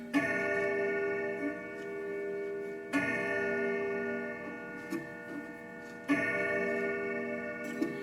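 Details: Grandfather clock chime rods, three clear strikes about three seconds apart, each decaying naturally with no buzz or early damping, tested after bracing the sound board to keep alignment with the rods; chimes ring cleanly.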